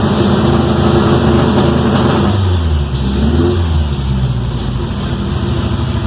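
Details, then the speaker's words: 1979 Toyota Corolla wagon with newly installed MSD ignition, cold with choke set high: revs climb and hold with a choppy, stuttering cut-in-and-out note as it bounces off a rev limiter set too low, and it seems to be missing. "Yeah, we're gonna have to set that rev limit higher."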